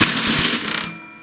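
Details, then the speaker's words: MTD snowblower with a Tecumseh engine, cranked on the electric starter (mounted under the fuel tank) with the switch off: a loud harsh grinding burst that stops abruptly. The worn starter gear isn't meshing; loose mounting bolts can also cause this. "I've got a snowblower in here with a Tecumseh engine, and when you go to engage the electric starter, it makes a crazy grinding noise."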